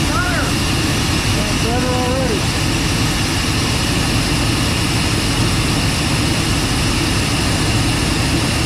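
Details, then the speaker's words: 1990 Chevrolet K2500 that sat for years and had random misfires, running after the distributor cap and rotor were replaced. Steady, even roar with no stumbling, so it now runs well; it has always had a slightly odd idle (IAC valve or vacuum leak suspected). "so here we are uh went ahead and change the cap en rotor and seems to be running really good"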